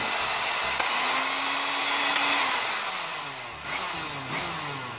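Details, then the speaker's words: Cosmos blender that died mid-juicing, after bypassing the non-contacting switch with a jumper: motor spins up to a steady high whir, pitch sliding slightly as it settles, running evenly with no grinding. "sudah bisa. Ternyata di switch ya, switchnya ini tidak ngontak ya, jadi dia tidak bisa on."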